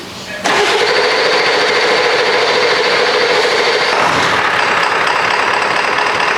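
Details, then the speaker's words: 1999 Ford F-250 7.3L Powerstroke diesel run completely out of fuel, after bleeding air from the lines: fires after cranking and settles into a loud, slightly uneven clatter; still rough from air in fuel lines. "now so basically what happened with this truck is it got air in the lines we had to go through and get all that air out at least enough to where it would start it's still running a little poorly"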